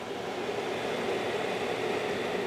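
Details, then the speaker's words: Pel Pro 130 pellet stove, newly replaced exhaust blower motor (old one noisy and dirty), running after install before being turned up: smooth, even whoosh with faint steady hum, no rubbing or ticking; normal blower running. "It's looking good, it's running good, nothing's hitting on it."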